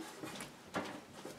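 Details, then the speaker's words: Tektronix type 130 L-C meter, newly acquired and unopened: faint irregular clicks and ticks as the case is tipped, with something loose rattling around inside. "I don't know if you can hear this but there's something rattling around inside of it it's rarely a good sign"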